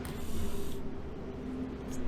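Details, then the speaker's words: 1991 Range Rover rear wiper motor bench-tested after fixing the rear wash-wipe, switching the positive to the brown wire to check parking via the park micro switch. A steady low hum with a faint rattle and no grinding; it parks correctly. Normal wiper operation. "And we parked. And brown. And park. Brown. Park. I'm happy with that."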